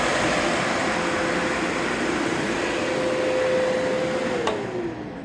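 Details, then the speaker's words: Two newly installed electric fans on a mini excavator, oil cooler fan and exhaust fan, one blowing in and one blowing out, fused to the battery and switched by the ground kill switch; steady airy whoosh with faint even hum, then spin-down, running normally. "One of the reasons I wanted them hooked up that way is because you'll hear that noise when you turn this on."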